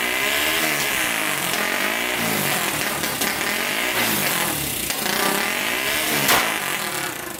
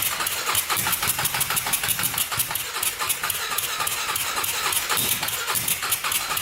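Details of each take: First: Turbocharged 1999 Honda 400ex quad single, after hooking boost lines to the carburetor, revs cleanly in neutral with a steady high-pitched note and runs much better, seemingly making boost; one hole still needs patching. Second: 1999 Honda 400EX turbocharged quad after adding a fuel pump; single thumps unevenly with ragged popping beats, no clean idle, no better; owner thinks the carburetor must be pressurized against boost; a leak and weld also need fixing.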